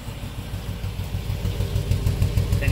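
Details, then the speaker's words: 1997 work truck V8 at idle, no codes stored: uneven, stumbling exhaust beat and a fuel smell from a dead cylinder; the scope found the number two injector pulsing but delivering no fuel, so it needs a new injector. "you can hear it out the exhaust and you can smell it there's definitely a dead cylinder so I'm going to get the oscilloscope on it and find out which cylinders misfire"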